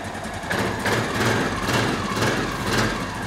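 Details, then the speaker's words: 2003 Honda Rancher 350 ATV after valve clearance adjustment (ticking badly before): steady, even single-cylinder idle with no top-end ticking; smooth, healthy normal idle. "So, well they're put back together let's fire it off and see what she sounds like. Oh much better."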